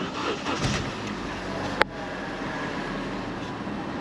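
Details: Base-model salvage car that had been sitting a long time: a single click, then the engine settles into a steady even idle with no knocks or misses; starts and runs healthy.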